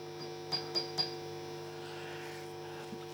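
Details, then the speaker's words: Marshall JMP-50 (2204) valve amp at full volume, both volumes up: a steady buzzy hum with sharp pops when V1 is tapped, possibly pointing to a noisy microphonic preamp valve. "I don't know if you can hear that noise that change in noise is just me touching the V1 V2 V3 fine V1 that's just gently tapping on V1 where on full volume both volumes on"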